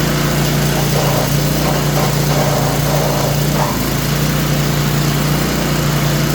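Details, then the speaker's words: Craftsman snowblower, owner-reported squeak after a new belt was fitted, started on choke in about 10°F cold: steady loud running with a faint periodic squeal riding over it; sounds like a bearing, not yet pinned down. "What's going on? What's going on? Sound like a bearing. Sounds like a bearing."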